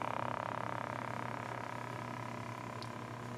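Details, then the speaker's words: Tube radio under restoration, all tubes lit, set to shortwave/AM band; faint steady hum with soft rapid crackle from the speaker after the electrolytics charge, which goes away when the tuner is changed, but no stations received at all; coils checked for continuity, fault unknown. "i changed i go to the uh to the tuner and it goes away but i do not get any stations at all"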